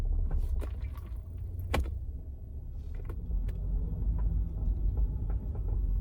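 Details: 2002 Subaru Outback driving: irregular sharp creaks and clicks over heavy low road rumble; a mechanic found multiple worn suspension parts, exact source unknown.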